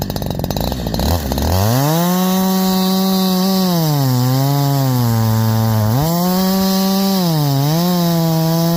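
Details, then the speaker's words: Holzfforma G372 chainsaw with 24-inch bar, after crankshaft seal replacement curing a factory air leak: clean high rev, sags smoothly into hemlock cut and recovers without bogging or stumbling; healthy cutting under load. "one one I'm going to call that fixed guys I'm going to call that fixed I know I called it fixed last time too"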